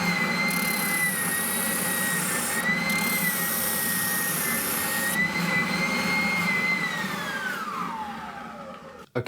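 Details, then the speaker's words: Draper oscillating bobbin (spindle) sander, 10–12 years old, after replacing the drive belts to fix poor oscillation: steady motor hum with a clean high whine and even drone, winding down at shutoff; running normally, seemingly as good as new. "all fixed and up and running and seemingly as good as new."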